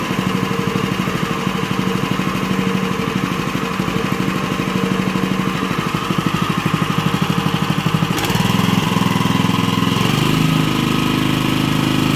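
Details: Honda WL30XN 3-inch water pump engine after one year of use, oil never changed: a steady firing beat, then the pitch rises smoothly with the throttle and stays clean. The sound is still fairly smooth and suction is still okay.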